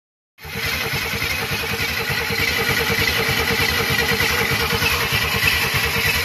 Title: ingnition problem won't start.. after rebuilt the head 235ci inline 6